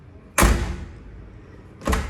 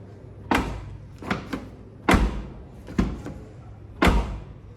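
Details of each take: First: Hyundai HB20 front door closing with two hard, bright metallic bangs and failing to latch properly, from a worn latch; the rear door closes silently. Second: Hyundai HB20 door shutting five times with a soft, solid thud and no metallic latch clack, compared with a front door that clacks and won't close properly: normal door closing with quiet latch.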